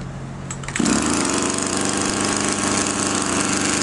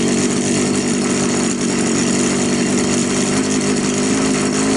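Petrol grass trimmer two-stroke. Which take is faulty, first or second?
first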